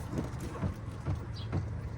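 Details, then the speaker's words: Car suspension a week after WD-40 treatment of squeaking strut top, body rocked by pushing down: soft dull thumps about twice a second with no squeak; squeak fixed. "not a single single screen a noise out of it was hot so there we go a bit WD-40 is the job for getting rid of squeaks when you have a squeaky suspension"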